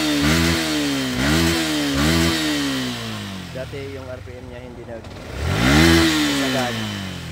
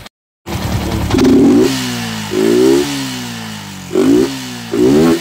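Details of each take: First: Sniper v2 motorcycle after replacing fuel filter and fuel pump IC to cure fluctuating fuel pressure, misfire and hesitation: engine blips cleanly and revs freely, throttle and RPM now responsive, fuel pressure stable. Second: Sniper v2 motorcycle blipped four times, revs surging unevenly and stumbling: hesitation and misfire under hard throttle from fluctuating fuel pressure; fuel filter unchanged for years, spark plug next, else suspected fuel pump motor.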